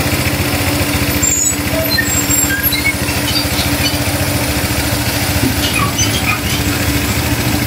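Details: Honda Click 150i scooter that wouldn't start because of a faulty part, now repaired. It idles with a steady, even putter with no knocks or stumbles and is running cleanly.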